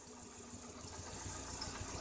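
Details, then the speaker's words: Ford Escort Zetec after repair for no idle, misfiring and stalling: quiet even engine note eases up slightly and holds steady without stumbling or dying; only airflow keeps it from being better; runs and idles normally. "não tá melhor por causa do fluxo Guar fora isso carro tá show tá"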